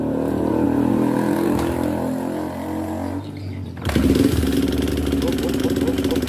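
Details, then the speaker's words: Honda CRF150 just rebored, idling with busy, uneven metallic top-end ticking that grows louder with throttle blips. "Bang pedol kedatangan motor.crf ini habis ganti boring baru tapi suaranya nggak karu-karuan ya"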